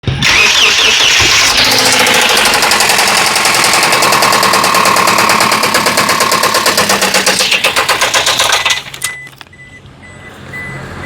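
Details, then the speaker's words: Toyota Hiace engine after cranking and starting: loud engine with a fast steady knock, about four per second, from inside the engine until shutdown; rod knock from a failed connecting rod bearing. "വണ്ടി crank ചെയ്തൊക്കെ എടുക്കുമ്പോൾ എഞ്ചിൻ്റെ ഉള്ളിൽ നിന്ന് വന്നേക്കണ sound കണ്ടില്ലേ? നമുക്ക് എന്താന്ന് നോക്കിയാലോ."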